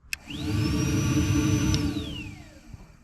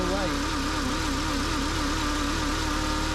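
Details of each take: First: Secondary air injection pump on a VW Jetta with code P0491 (insufficient flow), powered directly from the fuse with a power probe under the car: motor spins up fast to a steady hair-dryer-like whine, holds evenly, coasts down; pump and wiring from fuse work normally. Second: VW Jetta, P0491 secondary air insufficient flow bank 1, cold start under the car by the air pump: plain steady idle hum without the expected hair-dryer air rush; secondary air pump not running at cold start.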